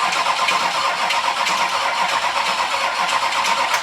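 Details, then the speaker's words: 6.6L Duramax diesel swapped into a Jeep Wrangler, hot-wired with van harness, first start attempt after fuel pump confirmed pumping: slow, uneven starter churn for four seconds with no firing, weak battery; cranking but no start. "Our poor battery is not happy. That pump's working harder now. That's a good sign."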